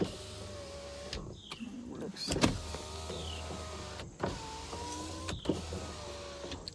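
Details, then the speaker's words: 2003 Hyundai Sonata 2.7 V6 automatic, engine off (broken timing belt, no start), about 187,000 miles: driver side power window motor whirs smoothly at even pitch and stops cleanly; normal power window operation. "so since it's not running first thing I'm gonna do is keep the windows down for you guys no rise driver side window test"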